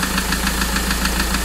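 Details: Mahindra XUV 500 that overheated from a coolant leak: sharp, regular tak-tak knocks about seven per second over a steady idle; mechanic suspects piston damaged and worn from the overheating, engine to be removed for overhaul.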